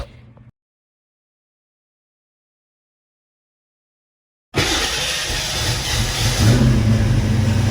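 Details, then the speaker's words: Pre-93 Ford Foxbody Mustang after swapping the original starter for a 1993+ Mustang starter: quiet crank, engine catches and runs evenly, with none of the loud metal clanging heard from the old starter. "All right, so as you can see, you can barely hear the car start now. Before, it would have this crazy loud kind of metal clanging weird sound."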